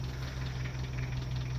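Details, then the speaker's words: Nissan D21 ute petrol engine idling: deep steady drone with a fine, fast chatter over it, attributed to a severely worn timing chain (cam train). "so yes this cam train is severely worn and"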